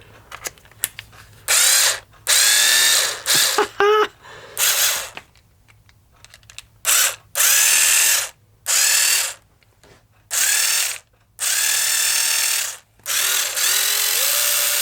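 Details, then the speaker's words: FastTrax Rotostart starter for nitro RC cars after re-soldering repair: short bursts of high buzzy motor whir with gear rattle, suddenly speeding up partway, battery possibly low on charge; starter runs normally. "yeah, it's gone quicker. Do you hear that? All of a sudden it went quick then."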